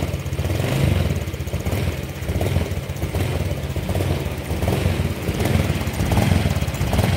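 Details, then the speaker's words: Honda Vario Techno PGM-FI scooter, cold engine, idle-up works and the sensors check fine: revving rises and sags unevenly with a ragged blubbering pull that does not clear; the hesitation happens only when cold and is normal once warm, caused by a leaking valve losing compression. "Namun apabila mesin ini mengalami suhu panas atau sudah hangat sudah panas itu kembali normal dia tidak mengalami hal ini jadi hanya terjadi pada kondisi dingin ditarik kayak gitu blebek-blebek rasane"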